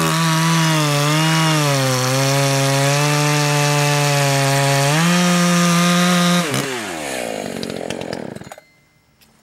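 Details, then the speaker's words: Echo CS 590 chainsaw at full throttle, high-speed screw turned in about 1/8 turn from a rich break-in setting: steady howl, pitch lifts slightly as it clears, then drops away cleanly; slightly leaner, quicker cleanup. "In this case, I'm going to go ahead and turn the high-speed screw in about an eighth of a turn or so. Let's see if that allows it to clear up a little quicker."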